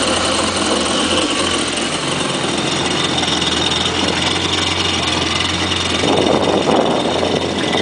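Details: Kawasaki jet ski engine idling steadily with a harsh, raspy hiss over the hum from an exhaust leak.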